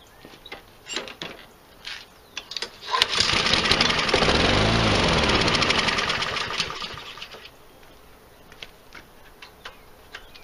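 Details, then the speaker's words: Nearly new Husqvarna 7021R mower with Honda engine, left sitting a long time, primed, no air filter fitted (the engine is very sensitive to intake): pull-cord rattles, a few seconds of ragged firing that swells and fades away, then more pulls; cranking, won't keep running. "these Honda engine turns out are very sensitive to their air intake without starting trying to start at Forbes no air filter on it"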